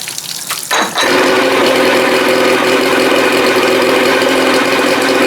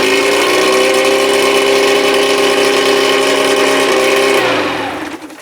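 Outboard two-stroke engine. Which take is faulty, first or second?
first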